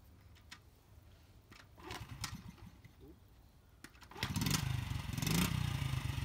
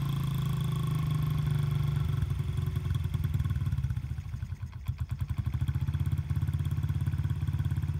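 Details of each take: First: 1996 Honda small single-cylinder dirt bike, cold engine, stock baffle, cleaned: a few soft cranking pulls, then it fires, blips up and drops to a very quiet idle, almost like an electric bike; normal start and rev. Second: Honda CRF50/Z50 single-cylinder dirt bike with gunked-up carburetor and leaking petcock, cold engine: small thumps at idle with an uneven beat that sags midway then recovers; rough idle, possibly fuel-starved.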